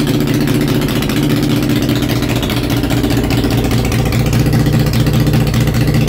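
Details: Honda Shadow V-twin after a homemade single-carburetor intake manifold conversion, started on choke: a lumpy beat at about 150 pulses a minute holds a steady idle with light revving and pulls cleanly on the single carb. Normal idle.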